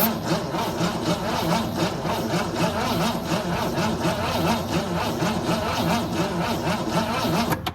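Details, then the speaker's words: 1964 Ford Falcon wagon that sat 46 years in a field with plugs removed, cranked after reinstalling plugs: labored cranking under four beats a second with no catch or pop; starter may be turning too slowly. "Nothing yet. Not even a pop. I don't know if this thing's turning over quick enough."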